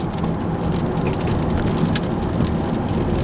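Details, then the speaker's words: Ford F150 after a left front bearing fix with a new rotor, hard left turn loading that bearing: steady tire and road rumble, no growl or hum; earlier bearing noise came on right turns. "we hear no noise at all so this is a beautiful little fix"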